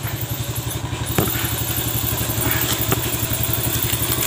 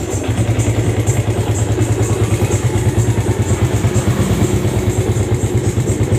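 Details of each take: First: Yamaha Vega ZR after repair for a rough front-engine noise and white smoke, with new piston rings and replaced bearings: a steady, even single-cylinder putter at idle with no knocking or clatter. Normal idle. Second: Yamaha Vega ZR single, kick-started, smoking white with rough front-engine noise: idles rough and uneven with a loose, lumpy top-end rattle; suspected loose piston or camshaft end play.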